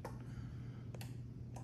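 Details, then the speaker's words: Telecrane F21-E1 remote receiver wired black power, brown ground, driving trailer lights (yellow up, green down): three crisp clicks within two seconds over a faint hum as the relay switches on each up/down command; normal relay clicking. "so now we hit start and we do up down up and you'll hear every time it clicks up down that simple"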